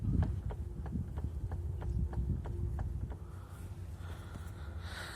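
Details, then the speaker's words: Renault Megane 2, both wheels lifted: sharp light knocks about three a second only when a wheel is rocked sharply back and forth, none when turned slowly; suspected differential planet gears (satellites), not confirmed. "именно при очень резком подергивание туда обратно то есть если медленно проворачивайте медленно друга соответственно стука нет если резко проворачивать то вот стук листу за правое колесо что за левое колесо"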